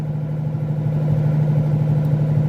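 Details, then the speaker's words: 1981 Mercury Capri, 200 inline-six, magnaflow muffler, after Seafoam tank treatment: low rumbling idle with irregular pops, strong fuel smell; carburetor running very rich, replacement carburetor planned. "and like you can smell a bunch of fuel coming out of this thing too so I know this thing runs super rich"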